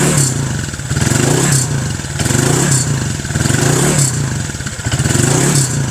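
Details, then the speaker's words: Honda Click 150 fitted with MTK block kit and MTRT exhaust (carbon heat guard, titanium tip), 784 km into break-in: a deep, even exhaust with revs blipped about once a second, firing cleanly with no knock or rattle, healthy. "So, sound check na rin tayo dito sa tambucho natin para may idea kayo kung ano yung tunog ng MTRT."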